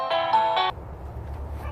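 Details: Newly installed wireless doorbell after the old wired doorbell failed: clean two-tone electronic chime rings once and stops crisply, no buzz or dropout; working normally.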